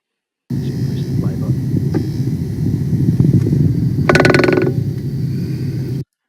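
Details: Tesla Model S front suspension; dull low rumble with loose rattle about four knocks per second over a speed hump, persisting after secondhand shock absorber swap; worn front track control arm.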